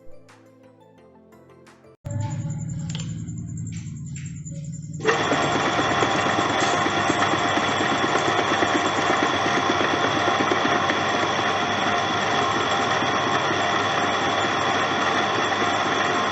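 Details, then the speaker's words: Domestic water (donkey) pump after topping up leaked-out oil with motorcycle engine oil: runs with a steady even hum, no knocking or rattling, much quieter than before, over background music. "तो friends अब आप देख सकते हैं की motor पहले कितना शोर कर रही थी और अब मोटर बहुत ही ज्यादा समूह और कम आवाज के साथ चल रही है"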